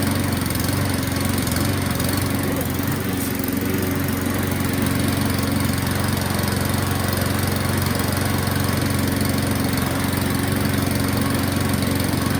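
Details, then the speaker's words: Self-drive cylinder mower with new spark plug, pull-started on choke: small engine runs rough and uneven at a fast rapping beat, fluttering; dies once off choke; owner suspects running jet, carburettor needs cleaning. "It died off choke, but it ran."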